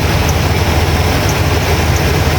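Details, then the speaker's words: 2000 GMC K2500, Gen 6 Vortec 7.4L 454 V8, idling after fixes: steady low rumble with belt squeal silenced (WD40, temporary) and no exhaust leak, quiet; new plugs, cold air intake, compression about 150 all cylinders. "as you can hear I silenced up that belt and it is quiet as a church moues under here not even an exhaust leak nothing"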